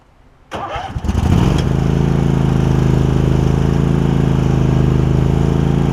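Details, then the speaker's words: Craftsman garden tractor Kohler CV20 twin, already warmed up, after carb clean and new deck belt: fires quickly, steady even beat, slight bog under load but no surging or hunting; running much better. "I have already warmed it up for the day you hear it's running much better you'll hear it kind of whenever you get any load on it right there"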